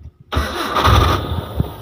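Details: Old Nissan Vanette diesel with a stalling problem possibly due to fuel supply draining back: a short crank, then it catches at once into a steady idle without stumbling. A clean start.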